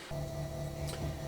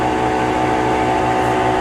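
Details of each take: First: Kenmore Elite Oasis washer after replacing the worn drum bearings and shaft seal, on a test drain and spin: a low, even hum with only faint soft ticking as the drum spins up, far quieter than before. Normal spin. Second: Kenmore Elite Oasis washer in its spin cycle, with a loud steady roar, a droning whine and a rhythmic low throb from completely worn drum bearings, before replacing the bearings and shaft seal.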